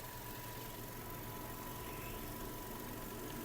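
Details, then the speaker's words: 2008 Volkswagen Golf 5 with 1.6 MPI petrol engine and 198,000 km: a quiet, steady, even idle with no knocks or misfire and no smoke. "автомобіль замівся співтику не димить не троїть Мотор працює тихо рівно"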